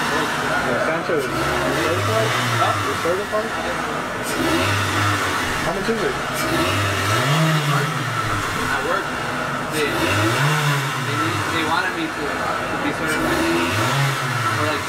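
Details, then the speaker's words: Mitsubishi Galant that failed smog with the check engine light on, after its MAP sensor was replaced: repeated revs rise and fall sluggishly and stumble; engine bog from a faulty MAF sensor whose signal drops out on the scope. "did you hear that engine from bog down going play it back in a second you're going to see on on the Pico scope"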